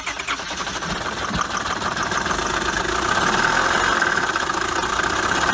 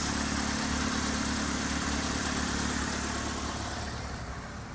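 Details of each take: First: Auction-bought Honda Accord coupe at idle: continuous rattling knock; timing chain or loose tensioners suspected, possibly worse, not confirmed; may be junk or part-out. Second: Saturn after removing rubber from the throttle blade, hose reconnected: settles into steady smooth idle with even low hum, no stumble, hunting or knock; running healthy.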